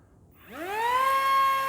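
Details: Eachine Mini F-16 RTF small motor and prop at throttle in beginner mode: the whine sweeps up quickly and settles into a clean, steady high tone with no wobble, running smoothly at about 75 grams static thrust.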